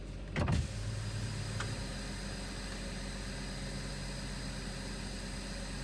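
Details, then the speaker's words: BMW 525 with N54/N55 engine after replacing the high-pressure fuel pump for 2B2C and 29F2 codes: quick catch then smooth, steady low idle; starts much faster, no check engine or fuel pump codes after several starts. "no check engine yet so I started the car for like probably three four times uh no cods for the high pressure fuel pump or whatever starts a lot faster now as you can hear it"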